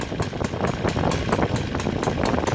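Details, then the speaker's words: OS FT 300 converted to full gasoline at 20:1 mix by CH Ignitions, Xoar 21x8 prop, idling too slow below about 1400 rpm: slow, loping, unevenly spaced firing pulses, burbling rich and not reliable; rich low idle. "you know when it's running this slow running into the rich condition in my go slow so yes will not be quite reliable"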